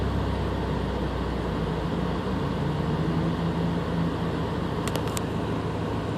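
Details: Subaru BRZ with stock engine struggling to hold idle and misfiring each time RPM drops, with no check engine light: uneven, stumbling idle with an irregular low beat that dips and wavers. Rough idle with misfire.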